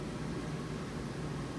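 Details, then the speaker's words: ICP Comfortmaker gas furnace after repair of multiple failures; soft steady low blower rumble with no squeal or banging; runs quiet and healthy, previously loud at ignition at night. "have to deal with that but it's up and running and quiet won't keep him up at night"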